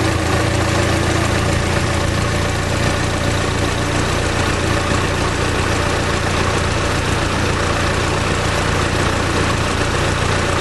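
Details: Fiat Palio 2010 1.4 8V Fire, in for a tec-tec engine noise, idling after coolant flush work: steady, even idle with a low, smooth beat and no tapping coming through; normal, settled idle.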